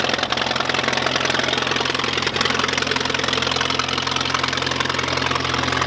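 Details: 1951 Allis Chalmers WD tractor running after first start in at least 10 years, new coil and points fitted; steady, even beat of about 160 pulses a minute with mid-pitched exhaust chatter at constant speed, normal running.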